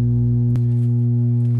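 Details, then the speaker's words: Amp under repair with a cheap, noisy power supply: a loud, constant low buzz. The owner suspects dirty incoming power is causing the excessive hum. "so i think another one of my problems might be that the power is just really dirty coming in now um you can see it's got some pretty excessive hum going on now"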